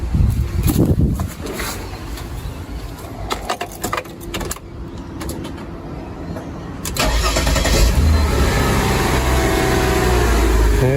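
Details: Mercedes ML320 after resoldering cracked dry solder joints on the fuse box board's top plug connection, which caused a no-start: brief crank, catches at once, smooth steady idle; normal start and idle.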